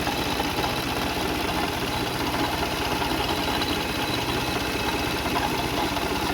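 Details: 2004 Toyota Sienna engine at idle: busy, uneven metallic rattle over steady idle, something loose; pulleys, serpentine belt and timing belt being checked, timing belt later snapped while driving; cause not confirmed.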